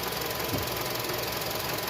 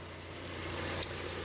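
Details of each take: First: 2007 Honda CR-V that stalls after about 3 minutes, with a rattle from underneath, revved toward 2,000 rpm: revs climb slowly and sound strained and flat. MAP reading rises, pointing to exhaust backpressure from a clogged catalytic converter. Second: 2007 Honda CR-V that used to stall about three minutes after starting, after valve adjustment, new valve cover gasket and parts, with no misfires on the scan tool: quiet, steady idle hum with no stumbles; normal idle.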